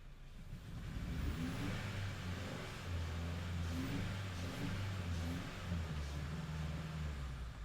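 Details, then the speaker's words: 2010 Honda Civic 1.4 i-VTEC, flashing check engine light, while spraying cleaner into the engine: revs held with lumpy, uneven beat and dropped pulses; cylinder 4 still missing, misfire from poor injector fuel delivery. "we've got misfires they're already spraying it in the engines feel that we've not got as many misses we've still got a missing four I know I'm good here so Four's still bad"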